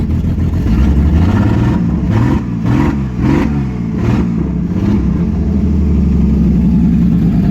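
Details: 1989 Ford EA Falcon port-injected petrol engine runs rough, stumbling and surging with the starter still engaged; it only runs while cranking and dies when the key is released, owner suspects coil pack.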